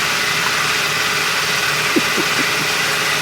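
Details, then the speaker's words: Turbo PT Cruiser GT on a 30° day after transmission reinstall with new clutch and a temporary seal fix: steady even idle, no knock or miss, faint hiss; running fine. "runder on this actually working fine and running great 8 out of 10 good 8 out of 10"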